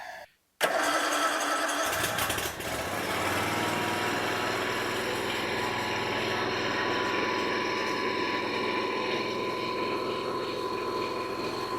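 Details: Toro mower with a Kawasaki single-cylinder engine that had been running badly and leaking gas, started on choke after an oil and filter change: a short crank, then a steady, even run with no misses. Some smoke comes from earlier flooding.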